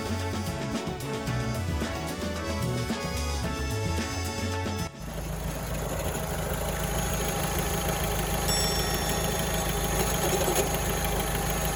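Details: Alfa Romeo 159 idling after long highway drive over rough, potholed road: steady dry rattle from the front of the engine bay at idle pace; failing A/C compressor.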